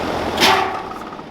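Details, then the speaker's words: Rheem RA1630 condensing unit with Copeland scroll compressor, installed 2015, fan converted to PSC motor: one sharp bang as the outdoor unit shuts down, then the hum dies away; cause unknown, identical twin unit stays quiet. "And that is the noise. So if anybody knows what that noise is, please tell me. The unit next door doesn't make that noise at all."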